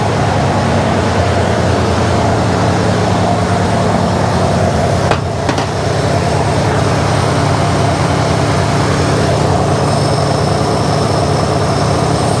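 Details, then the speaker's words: Jeep CJ5 after carburetor cleaning, distributor tightened, choke set and custom air cleaner refitted; it previously would not idle. Steady, even, smooth low idle, slightly fast, no knocks or misses. Normal idle. "you hear an idling right there maybe i jumped it maybe i shouldn't compare it to the ex-girlfriends because none of that was as easy to resolve"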